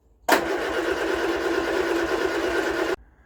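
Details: Vauxhall Viva HC after a carburettor rebuild: it fires on carb cleaner, but this steady two-and-a-half-second crank on fuel never catches into idle; water in the fuel is suspected.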